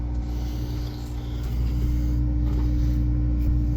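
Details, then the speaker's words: 1992 Ford F-150 heater blower after blower motor replacement (old one had bearing play and made a loud noise): steady, even hum and smooth low whir, no knocking or scraping, quiet on every speed; normal operation. "so it's working nothing's hitting before it would have made a really loud noise noise now it's nice and quiet and it works on every speed"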